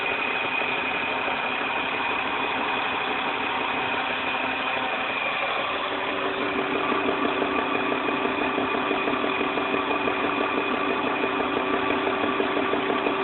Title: Engine Knocking 1999 323I